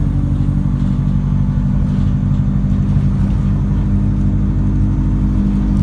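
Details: 2014 Alexander Dennis Enviro 200 bus; heavy diesel running with constant low drone and rough uneven beat underneath, not how these buses normally sound, cause unknown.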